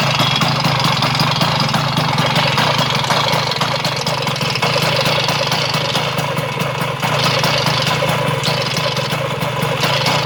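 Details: Vespa 100 smallframe two-stroke idling briskly with a fast, light metallic rattle over the exhaust, then cutting off; started after fitting a Parmakit race ignition with 1 kg flywheel weight; flywheel-area rattle, cause unknown.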